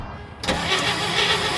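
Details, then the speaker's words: 70-year-old barn-find car, first start attempt, cold: starter spins the engine steadily but it never fires; coil wire left unconnected, so no spark. "Oh, hang on, damn it. I didn't hook the coil wire up. I got excited. It's going to need that."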